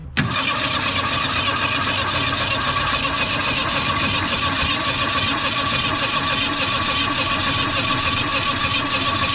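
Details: 1980 Mustang hatchback that sat from 1991 to 2022, after freeing a stuck carburetor float and getting fuel from the accelerator pump. Steady fast cranking for nearly ten seconds with no catch; ignition still suspected. Crank, no start.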